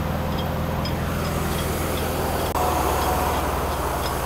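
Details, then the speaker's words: Mercedes-Benz W126 300SEL with rebuilt engine, warming toward 60–70 °C, idles steadily with a faint regular light metallic tapping; rubber of the harmonic balancer (timing disc, crank sensor trigger) has separated and the plate has come off. "But We can hear that noise now. This is actually it. The verification plate has already come off."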